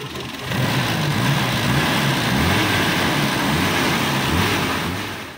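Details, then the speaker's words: Toyota Kijang Super, first start after engine overhaul, cold: catches and idles with a slightly uneven, lumpy beat about 2.5 pulses a second; owner attributes roughness to oil not yet fully circulated, valves to be adjusted when warm; rough idle. "nah ini masih ada kasar karena oli masih belum naik semuanya sama nanti kita mesti Setel klepnya ya tunggu sampai suhu kerja mesin"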